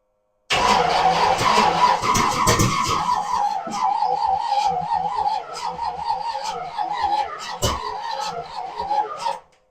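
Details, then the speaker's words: 1963 Chevy Impala with old 350 dirt-track V8, sat 18+ years: starter cranks in wavering uneven rhythm with brief attempts to catch but never fires; suspected flooded, carburetor possibly junk. "yep okay she tried going to give her some full choke this carburetor might be junk too"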